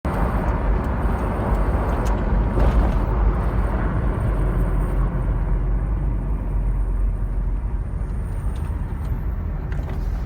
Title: Land cruiser 80 series weird noise from front end